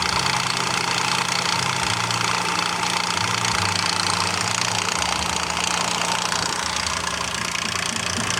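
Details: Nissan Frontier with VQ40 V6 at idle: a quick, fairly regular metallic ticking and rattle over the top of the engine, caused by worn-out timing chain tensioners.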